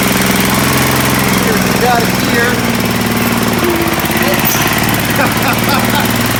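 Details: Sears ST/16 garden tractor after a new fuel pump and a carburetor swapped from another tractor: small engine holds a steady, even chug with no stumbling or misses; normal running.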